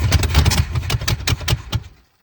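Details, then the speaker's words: 1970 Chevy Chevelle sitting since 1995, with new fuel filter and fuel fed from a gas can: even cranking about five beats a second with no firing; not getting gas at all. "Okay. It's not getting gas at all."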